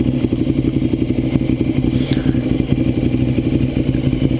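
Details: 2009 Ducati 848 after fuel pump hose repair, idling during leak check: lumpy but steady twin idle at about three beats a second, even with no knocking; healthy, with no fuel at the flange or breather hoses.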